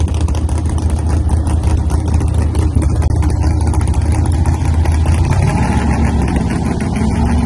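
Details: Race car first ride after full reassembly: deep, lumpy idle that wavers and stumbles unevenly instead of holding a steady beat; something wasn't right, engine not running cleanly.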